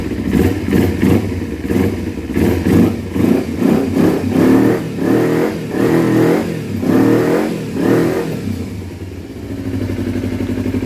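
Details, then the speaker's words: 2012 Kawasaki Ninja 250R twin after carb install, throttle cable unhooked, carb tapped open by hand: quick blips flaring and dropping fast. Owner suspects too much air because the airbox is not fully connected; water still coming from the exhaust. "sounds good sounds like it's getting a little too much air though I don't have the airbox is totally connected"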